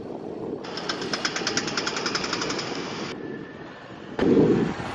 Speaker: That is what a bad CV joint sounds like. You hear that noise the most when you're making a turn, and especially if you're trying to accelerate.